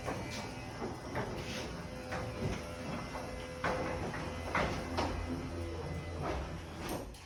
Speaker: even though the door is a lot quieter because of the nice smooth operation and quiet operation of the Adams Pro, it's not going to replace old bearings.